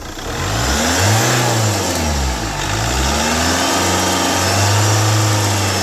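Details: 2010 Chevrolet Captiva diesel after full turbo intake and fuel system cleaning of heavy carbon sludge, which had made initial pull feel heavy: two throttle blips rise cleanly and settle back, smooth and free, no knock or hesitation.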